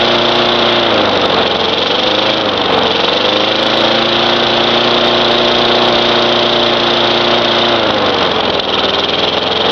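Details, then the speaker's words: Craftsman 4.5 hp Tecumseh mower that had diesel in the cylinder, running after the fouled spark plug was cleaned: a busy mid-pitched buzz with slight speed hunting and no knocks, while smoking blue. It runs fine. "But it did start, so it's a runner. It works."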